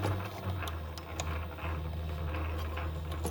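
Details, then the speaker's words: Sailrite Leatherwork sewing machine after needle bar height adjustment: low steady motor hum with a crisp click about twice a second, one per stitch, the hook releasing the thread; normal, sounds good. "Okay, that clicking is the hook releasing the thread for the stitch. And that is exactly what we're looking for. So that sounded really good."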